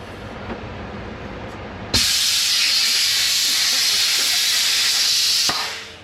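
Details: International 4900 truck air brake parking valve leaking, noticed on last load of corn hauling; sharp steady high-pitched hiss starts abruptly, holds then tapers; owner first suspected an airline, then suspected the valve itself, needing replacement.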